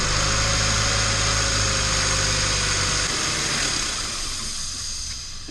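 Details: 2011 Chevy Cruze idling: low steady idle under a loud, constant hiss; massive intake vacuum leak.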